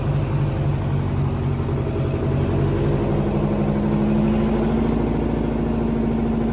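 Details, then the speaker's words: 8V71 Detroit two-stroke diesel from a bus, swapped into a John Deere 5020 tractor, first run at about -11°F, revved on the hand throttle to maybe 1500 rpm: deep even drone rising smoothly with no knocks; healthy engine. "hear that thing run wow totally worth it and running with the hand throttle and then shutting off with a kill very cool"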